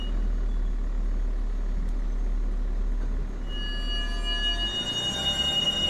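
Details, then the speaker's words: Ineos Grenadier off road on a gravel track near Mt Selwyn: gravel rumble, then a thin metal-on-metal scrape with a high ringing edge comes in midway, seemingly from the front brake; owner doubts a stone behind the disc guard, cause unconfirmed. "Now it was along this section before we get to Mt Selwyn that I had a moment of panic and wondered if I'd broken something. Listen for it. Sounds like a metal on metal sound."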